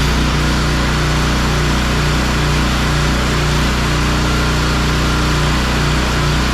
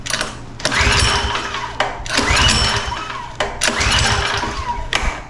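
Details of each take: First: Pressure washer small single-cylinder engine after carburetor work, air filter refitted: steady fast putter, earlier slight idle surge gone, no missing; running smoothly. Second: Power washer with a 4-stroke lawnmower-style engine, fuel petcock turned on, full choke: three recoil pulls, each a second of cranking whirr with no firing; it won't start because fuel is not getting through the carburetor.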